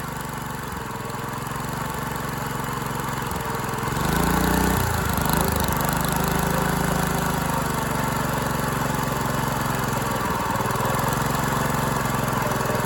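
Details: Dumpster go-kart engine with valve parts missing under the valve cover, run unloaded and backfiring at start. It runs unevenly with a loose beat, speed surging and sagging every few seconds. Owner suspects timing and probably valve lash.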